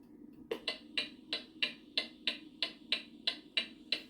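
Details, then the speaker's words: Antique pendulum mantel clock, with an amplified microphone right on the movement: crisp, evenly spaced tick-tock about three per second. Reference sound of a clock perfectly in beat. "Okay, so that is the clock perfectly in beat. That's what it should sound like when it's in perfect beat. Even tick tock, tick tock."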